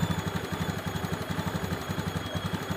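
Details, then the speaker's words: Honda Beat ESP injection scooter, idle after throttle release: low, lumpy single-cylinder putter, idle too low and idle screw gives no response; mechanic suspects the ACV (idle air control valve) actuator. Earlier misfire was fixed with a new spark plug. "Nah untuk penyakit seperti ini biasanya itu di ACV atau idle air control valve"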